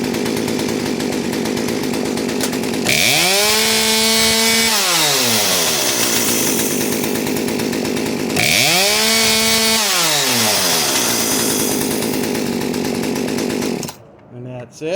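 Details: Poulan P3816 38cc chainsaw after installing a HIPA carburetor, fuel line and primer bulb kit, choke pushed in and adjusted: clean full revs twice, climbing crisply and returning to a steady idle without bogging, then shutdown; normal running.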